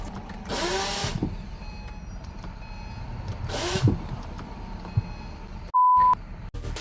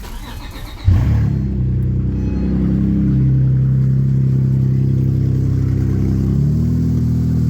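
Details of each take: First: Acura with a mildly built J-series engine just installed, loose without the subframe: two short whirring bursts as the starter spins freely without catching the engine; the starter is failing to engage. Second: Acura with a newly installed, mildly built J-series engine, loose without the subframe, after the engine was rotated slightly: it catches after a short crank and settles into a steady, even idle with no misses or knocks.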